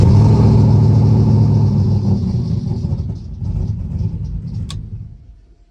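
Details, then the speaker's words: Turbo Coyote-swapped Fox-body Mustang after stalling, fuel pump heard priming: starter churns about three pulses a second without firing, cranking like it has no fuel; suspected low fuel level, four gallons then added to fuel cell. "it's cranking like if it doesn't have fuel it's cranking like it doesn't have fuel all right let me go get some fuel guys maybe it could be that it's just low on fuel"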